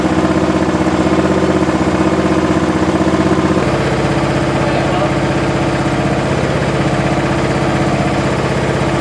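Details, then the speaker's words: Curb-find John Deere SX75 riding mower, single-cylinder engine, after sitting: steady thumping rhythm that shifts once, no knocks or misfires, smokes a little (owner unsure if from sitting); runs normally despite a suspected electrical issue in switch or starter solenoid. "well it actually starts and runs pretty good smokes a little bit"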